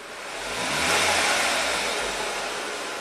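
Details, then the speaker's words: 2003 VW Passat 1.8 turbo, 150k miles, long-crank hard start with code P0341; with the cam sensor unplugged it runs rough, hissy, surging and sagging, and sets P0343 camshaft position sensor circuit high input. "rough yeah it's not happy without that cam sensor p0343 camshaft position sensor circuit high input"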